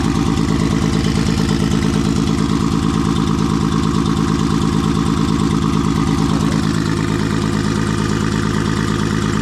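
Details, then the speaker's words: Nissan RB20 engine with Kelford cams and Garrett G30 turbo, first start after rebuild: uneven, shaky, lumpy idle running on five cylinders with cylinder five dead. "So, I don't know if you can hear it, but it's actually only running on five cylinders."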